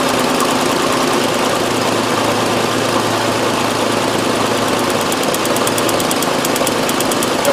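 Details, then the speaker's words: 2001 Nissan Frontier 3.3 V6, check-engine light with P0302: rough, slightly uneven idle rumble from a weak misfiring cylinder 2, confirmed by pulling plug wires; spark at that cylinder tested good. "alright number two is definitely our blending cylinder right can't tell on the video but it is probably see the hood shake in there"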